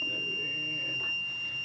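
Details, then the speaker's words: MPJA 35716 MP battery low-voltage alarm module while the set point is being adjusted. A steady, high-pitched tone sounds because the voltage is below the set point, and it keeps buzzing until power is removed or the voltage rises above it. "like I said it will keep keep keep keep ringing keep playing buzzing until it is it powers either removed or it's above the set point"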